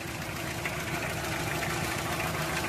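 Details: Toyota 2C diesel engine idling with lumpy, uneven knock and shake instead of a steady beat; rough idle, injectors and fuel delivery suspected.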